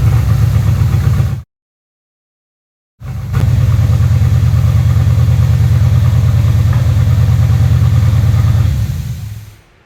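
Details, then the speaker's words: 3rd Gen Camaro Z28 carbureted V8, started with starter fluid, before repair; lumpy, loping idle with a regular stumble about three times a second; dead-cylinder misfire where pulling the number two plug wire gave no change despite spark. "I pulled the spark plug wire for the number two cylinder and I didn't hear any change whatsoever. Check spark definitely has spark."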